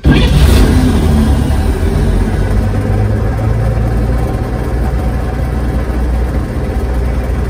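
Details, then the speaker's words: 1946 Chevy pickup with mechanical fuel pump after replacing the soft fuel line to the carb with a hard line and fitting a new ignition switch: starts right up, deep steady rumble, revs cleanly and settles to a smooth idle. "She's firing up nicely now."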